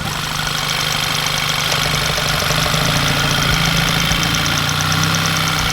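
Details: Volkswagen GTI after a test drive, parked: even, settled idle with a light fast valve-gear ticking and no surging or hunting. Normal, healthy idle.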